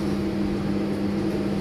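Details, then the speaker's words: KDK ceiling fan bought 2004, after overhaul, cleaning and greasing dry bearings that were noisy: steady soft even hum, no grinding, bearings now quiet like new. "Sebelum ni ada bearing macam bunyi bearing sikit, bising sikit. Alhamdulillah. Memang macam baru ah."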